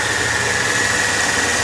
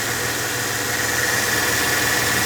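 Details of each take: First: Mercedes E320 running on a used junkyard belt tensioner pulley: a steady high-pitched whine rides evenly over the engine from worn tensioner and idler pulley bearings. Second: Mercedes E320 after replacing a temporary junkyard tensioner and the idler pulley with new parts: steady, even petrol idle with faint belt hum, no crackling from tensioner or pulley; normal idle.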